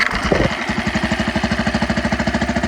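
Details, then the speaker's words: Tohatsu 4 hp four-stroke outboard, warm, after fixing gas getting into the oil with fresh oil and a new part: starts on one easy pull, then a steady, even chugging idle about a dozen beats a second; runs clean. "Granted, it is warm, but it wasn't even much of a pull. Didn't even have to put my hand on top of the motor to hold it."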